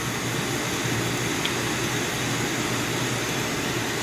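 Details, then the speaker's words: Coleman 533 single-burner stove at full flame after warming the generator: steady, even roaring hiss with no sputter or surging; pressurized burner running cleanly, good flame control. "then of course there you have it on Full Tilt so this is a fabulous stove great power great flame control easy to operate"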